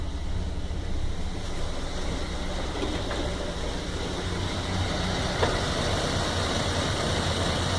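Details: 1997 Toyota Land Cruiser FZJ80 (1FZ inline-six) with a rough idle that carried on to about 2000 rpm. The idle rumble is uneven and lumpy and stumbles irregularly. The MAF and intake were checked; the owner suspects an ECU reset after driving fixed it.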